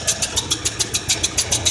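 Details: 1978 Ford F150 302 V8 idling on a cold day: a sharp, even tick about seven times a second over a soft rumble, like a leak puffing past a seal. Exhaust leak was first suspected; owner now suspects a blown head gasket.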